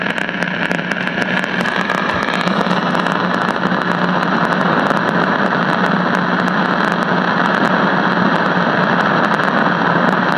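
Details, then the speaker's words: 1956 CBS 5-tube AM clock radio: loud constant hiss broken by sharp irregular crackles and pops after the 12AV6 detector tube swap; arcing visible in the bottom of the IF transformer can, silver mica breakdown. Grounding the detector input stops it. "I see arcing in the bottom of the if can see that there"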